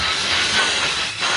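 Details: 2003 VW Golf GTI 1.8 L turbo with secondary air injection fault code, engine off, pump activated via scan tool output test: loud steady airy hiss, no knocking or grinding; secondary air pump running normally.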